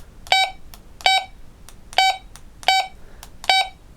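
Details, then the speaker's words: Retevis RB628B PMR446 radio, stock settings out of the box: volume button presses give five short, clean high bleep key tones about three-quarters of a second apart; normal key beeps, later turned off in programming software. "Every time you touch the buttons for the volume, you get that sort of bleep, yeah, like that. You get that bleep tone."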